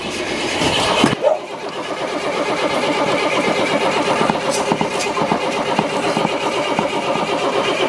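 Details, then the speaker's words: Abandoned diesel motorhome: the starter grinds the engine over in an uneven, labouring rhythm, no start; the starter stuck engaged and would not disengage even with the key off. "Okay, we tried to crank it, but the starter is stuck and didn't want to disengage with the from the engine even when I turn off the the key."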